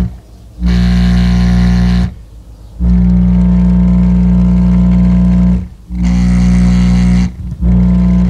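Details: 1976 Magnavox console stereo with 8-track and record player, no audio from the turntable path: heavy buzzing, rasping low notes in bursts with the music; speaker blown and distorting, phono cartridge also judged bad.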